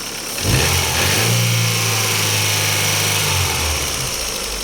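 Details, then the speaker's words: Daewoo Lanos petrol engine after repair: a fallen-out oil gallery plug was starving the hydraulic lifters of oil pressure, four rockers replaced; first start idles and revs smoothly with no lifter tick. "нічого наче нічого проїдемось ну наче все окей"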